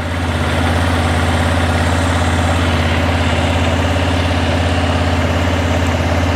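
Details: 2006 Arctic Cat 400 ATV idling after a flywheel rotor replacement fixed its no-spark fault. Smooth, even single-cylinder thump with no misses or knocks; oil was drained and pending refill. Running healthy.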